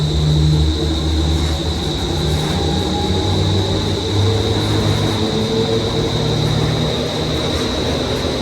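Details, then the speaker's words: Daikin commercial air handler serving an auditorium, blower motor already replaced, after first blower bearing replaced and belts reinstalled: loud steady low rumble over fan roar with heavy vibration remaining. Blower bearing rumble. "Still got a noise. A lot of vibration there."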